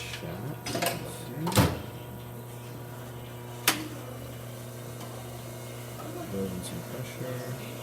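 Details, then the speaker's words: Quick Mill Verano 2B espresso machine after a full service to fix a slight hissing from the top: steady low pump hum with light clicks and no hiss while pulling a test shot, flow slow with fine grounds; normal espresso machine operation. "so as you can see machines functioning there's no missing Louis towards the top there we go the stream is picking up a bit very good"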